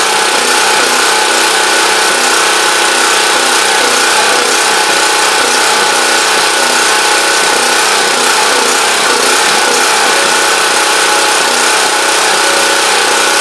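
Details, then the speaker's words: Champion Dual Fuel 3500 W generator after carburetor cleaning fixed a no-start, started on full choke; steady, busy mid-pitched drone with no surging or stumbling, called a success though unsure if slightly rough, as it always sounds. "okay so I'm gonna call that a success I think um you know I'm not sure if it's if it's running rough it's if it but that's always kind of how this thing sounds"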